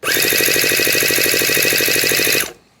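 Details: Miniature 7cc four-stroke twin-cylinder nitro engine, newly assembled kit, failing to start: harsh rapid metallic clatter throughout cranking that stops abruptly; a loose starter grub screw is rattling.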